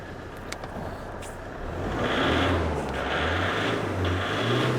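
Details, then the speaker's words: 2006 Toyota Hilux 2.5 L D4D diesel, crank no start with no codes, run on a temporary bypass fuel feed: it catches after a short crank, revs and settles into clean, even surges. The fuel tank was found completely blocked. "I just really want to see if this engine's going to start and what it's like. Just going to use that fuel up very quickly. Just give this a rev."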